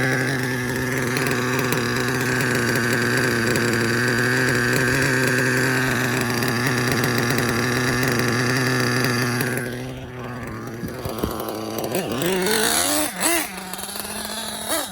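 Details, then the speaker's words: Nitro RC car, K5.9 engine with LRP 32 Spec 2 carb, hot glow plug fitted after vapor lock: high buzzy steady note turning choppy on throttle blips; low-end mixture still slightly lean. "still lean on low a little bit let's give it one more pass"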